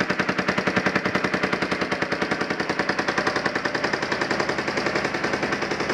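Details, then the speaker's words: Yamaha Warrior 350 single, first start after sitting years, new aftermarket carburetor, gas bottle feed: sharp, even popping about ten beats a second through an open pipe, no missed beats; exhaust still to be fixed. Normal running. "well there you got it gasps Yamaha warrior 350 runs now it's time to get all the plastics on it fix the exhaust and we'll go from there"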